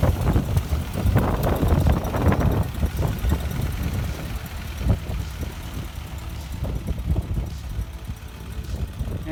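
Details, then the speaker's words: 1952 Ford 8N tractor after freeing a stuck-open exhaust valve by tapping: low, fairly steady putter with slight unevenness at idle; running much better, still burning off oil from the cylinder and excess fuel in the muffler. "a lot better now still burning off all the oil that was in the cylinder and probably all the excess gas and stuff that went into the exhaust muffler"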